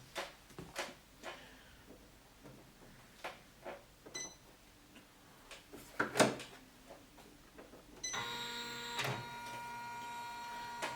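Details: Janome 500E embroidery machine after hook timing was adjusted to fix knocking during operation: scattered light clicks, then an even motor whir with fine steady ticking and no heavy knocking. Stitches normally.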